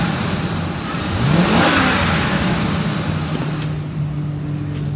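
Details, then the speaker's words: 2014 Ford E-350 XL 15-passenger van, 5.4L V8, automatic, 86,158 miles, warm after running over an hour without overheating: even idle, then a quick rev climbing smoothly and settling back without stumbling or knocking; normal revving. "sounds good it revs up nice and it idles smooth"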